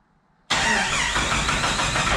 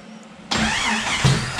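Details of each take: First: Turbo Jeep on Megasquirt MS3X, cranking after fan shroud removal and cam position sensor placement: starter churns with rhythmic squeaky pulses but never fires; crank no start, cam sensor thought to be a tooth off. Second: Turbo Jeep on Megasquirt MS3X after putting the cam position sensor back: quiet, then catches at once and settles into a rough, slightly uneven run; still needs tuning.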